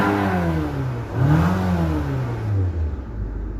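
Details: Nissan after transmission replacement, customer says it now sounds like a go-kart, no visible leak, code present, purge volume control valve found faulty but not thought the cause: revs rise and fall with loud raspy buzz; cause unknown.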